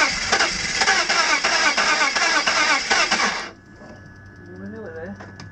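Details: BMW M54 engine (E46/E39) with sudden very low compression, cranked after squirting oil into the cylinders: fast uneven cranking about three beats a second, then silence without catching. Cranks, no start.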